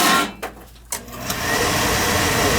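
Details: Beckett oil burner will not fire after the reset button was pushed several times; steady motor hum and fan whoosh with no flame catching. It is getting oil and the burner motor runs, so the spark is suspected. Not firing.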